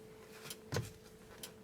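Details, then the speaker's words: Mercedes/Dodge Sprinter with a horn that doesn't sound; soft single clicks about once a second each time the horn switch is pressed. The horn relay is energized, so the switch and the wiring to the relay are good. "do you hear that click as i'm pressing down on the switch there's a click so this click here tells me that the horn relay is being energized"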